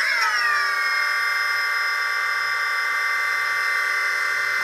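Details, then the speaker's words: New MN2214 V3.0 Tiger Motors fitted to a DJI Phantom Vision, shell and GPS back on, first power-up: motors spin up with a quick rising whine, then settle into a clean, steady high hum; responsive, really smooth, healthy. "coming on they seem pretty responsive really smooth sounding if you can hear that in the video"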